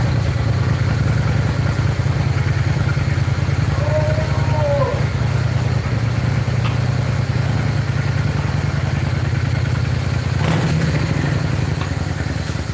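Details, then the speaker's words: 1995 Honda Shadow VLX 600 V-twin after carburetor clean with new rebuild kits, warmed up: steady low, even burble with a smooth, consistent beat and no misses or knocks; running cleanly and sounding really good. "And then that sounds really good. Sounds real good."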